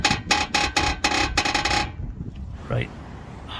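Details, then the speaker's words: Honda Accord CU3 front suspension, engine running, steering wheel turned at standstill: dry rhythmic creak, about four a second; owner suspects a worn lower ball joint, would be third replaced on this side. "look in here and see what this creaking sound is this is where it came from the last time what does that sound I really hope it's not another lower ball joint"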